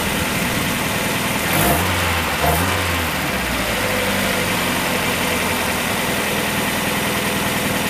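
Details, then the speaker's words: 1994 Mazda Miata after timing belt and water pump replacement, running with no accessory belt and the cooling system not yet filled. Steady, even idle with quick throttle blips, smooth, no knocks or ticks. Normal idle. "and I heard everything I needed to hear the engine sounds great it's running smooth as glass"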